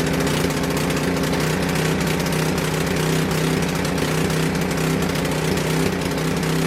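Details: Coleman Powermate 6250 generator with Tecumseh 10 hp engine, curb find that would not start; after fuel system and tank work it fires up on full choke and runs with a steady even drone, no knocks or misses.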